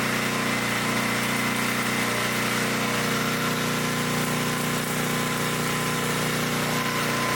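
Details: 1972 Dayton 3,000 W electric-start generator, revived after 30 years unused, running after reassembly for an RPM check: a steady governed drone with a faint whine and no surging or misfire, running clean and even.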